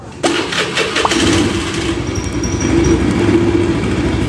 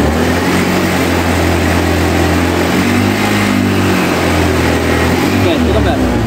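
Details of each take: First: Honda Scoopy scooter revved against the brake: a coarse, rapid, tractor-like rattle through the rise that is felt through the body, from worn CVT rollers and a glazed clutch bell. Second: Honda Scoopy scooter after a CVT service for rough noise, revving with the brake lever held to simulate load; smooth, even drone with no judder or rattle, now sounds like a new bike.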